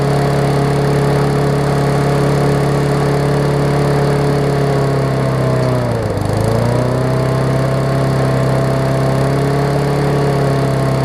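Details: Murray 20-inch 3.75 hp push mower, long dormant with freed stuck intake valve, first run, old oil: single-cylinder holds steady slowish drone, sags briefly and recovers, never reaching full governed speed; governor arm was stiff.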